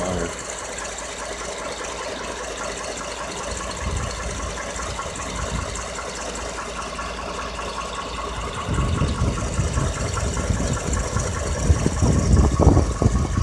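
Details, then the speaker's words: 2014 Ford F-150 XLT 5.0 Coyote V8, 6,800 miles, idling: light, fairly regular ticking about three a second over a low rumble; valve tick and engine knock suspected, not confirmed. "Valve tick and Cracking engine. Five-0 Coyote motor."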